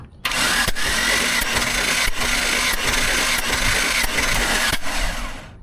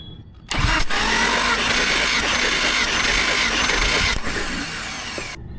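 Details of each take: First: Jeep engine during a compression test with the tester adapter pressed by hand. Even starter cranking with a thin, steady high whistle of air escaping past the gauge adapter seal; cylinder one then read 135 psi. Compression tester adapter leak whistle. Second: Jeep six-cylinder cranking on the starter for about five seconds during a compression test of cylinder 5, which reads 140 psi: even, steady rhythm with no stumbles; normal cranking.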